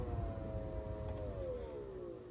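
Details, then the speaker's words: Front blower motor under the glove box on a 2011–2019 Grand Caravan/Town & Country. Steady fan hum with a faint wavering whine that drops in pitch as it winds down; the blower motor is noisy and is being replaced. "so you can hear little bit of noise from this fan anyway what I'm going to do is I'm going to take it out swap it for a new one"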